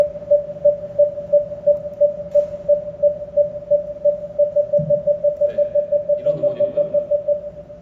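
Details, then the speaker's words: Genesis GV70 facelift (3.5 turbo, Sport package) parking distance warning, new Genesis-specific tone made rounder and more premium than the previous sharper one: steady mid-pitched beeps, about three a second and quickening; parking distance warning chime. "그래서 운전자가 주행 중에 들으실 수 있는 주차거리 경고 차선 이탈 경고 후측방 충돌 경고요 세 가지 경고음을 기존에는 조금 날카로웠던 음원에서 어 둥글둥글하고 고급감 있게 좀 의원 개선을 추진했습니다네"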